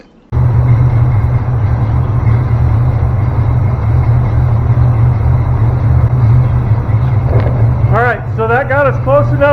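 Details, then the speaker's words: Small block Chevy V8 just started after finding TDC, distributor cap twisted by ear until it fired, still cold: deep rumble with a lumpy beat that evens out as idle comes up; timing to be fine-tuned at operating temperature. "You can hear the engine starting to get a little happier. The idle will come up. It starts to even out a little bit."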